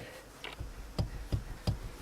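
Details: Dull, evenly spaced knocks about three a second as rear seatback is rocked by hand at its mounting point, from a worn mounting-pin bushing; bushing replacement is the fix.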